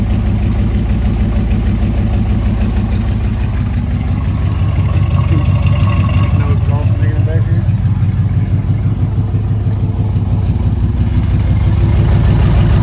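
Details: 1995 Buick Roadmaster Estate Wagon V8, started after sitting several years. It settles into a low, even idle with a steady rumble and no knocks or misses. Coolant then leaks from the upper hose, which has no hose clamp.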